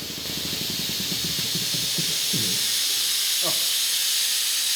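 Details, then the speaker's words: Shop air compressor running: loud steady high hiss of escaping air over a faint motor chug; a valve was left open, dumping air out, much quieter once closed. "there's a valve open. Oh, no. That's why it was louder. Yeah. Oops. Okay. Wait, that's so much better. It was just dumping air out."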